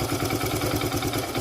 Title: Supar Splendor bs4 engine tepid and timing chain sounds removed